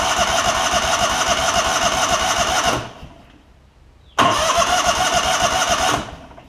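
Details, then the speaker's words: Lincoln Ranger 8 welder generator, Kohler CH20 V-twin, junk in fuel line, no fuel priming from tank: two roughly three-second cranking bursts, steady starter churn, never catches; failed fuel pump. "so it's not priming up through the gas tank and I think we've got I think we got a things in the gas tank here"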